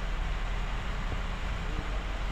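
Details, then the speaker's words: 2017 Hyundai Grandeur idling while warming up after oil pressure sending unit replaced to fix oil warning light, injector had been removed; low steady rumble, even rhythm, no knocks or ticks, oil light gone so far. "Painitin lang natin mga kasentero. Kailangan mainit na yung mainit yung makina para malaman natin kung babalik pa ba."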